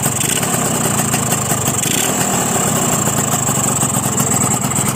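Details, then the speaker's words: Two-stroke engine after swapping its cover to the correct side, carburettor normal with no leaks: buzzy idle that won't settle, speed swinging, lowest about 1,800 rpm; owner suspects compression too high, not confirmed. "เห็นมรอบมันจะสวิงนะครับมันไม่ลงฮวบเลยนะเห็น"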